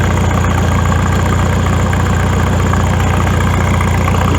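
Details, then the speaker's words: Farmall tractor after exhaust modification, welded: deep even thump about 220 beats a minute, strong low note, governor holding steady; original deep sound back, normal idle. "got the same the same cell as previously it's a nice deep sound and i think foreign"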